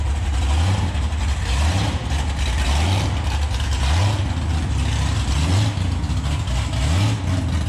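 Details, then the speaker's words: 2014 COPO Camaro with factory supercharger, bypass valve blocked off, under load: heavy drone with rhythmic surge about every 1.5 seconds; supercharger surging, never did before, cause unknown. "It's never used to blower surge like that. I don't know what the heck's going on."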